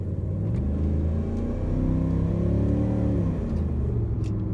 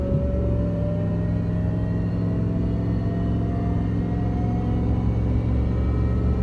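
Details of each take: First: 2003 Dodge Ram 1500 on a road drive after new rear shocks and a rear differential rebuild with gears set using a dial indicator. A low drone rises and eases with speed, and the earlier axle howl is gone. The rear differential is quiet. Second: 2003 Dodge Ram 1500 rear differential: steady road rumble with a howl rising in pitch with speed from a worn, grooved pinion bearing; owner believes worn-out rear shocks loaded the gears and wore the bearing; fixed by differential rebuild and new shocks.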